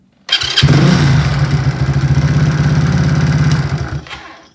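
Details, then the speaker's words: Supercharged NOS postie bike, blower pulley changed from 3:1 to 4:1, flat-slide carburettor: fires almost instantly, crisp even putter for about four seconds then shuts off; eager, healthy start. "there's in my mind a way that motorbikes should come to life when they start so this is the sound of a of a eager motorbike"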